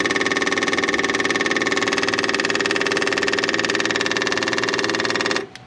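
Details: Cat 259D skid steer diesel after its 1500-hour service with a new fuel pump and filter: steady, even idle pulsing about four times a second with a constant tone until shutdown, no misses; running properly.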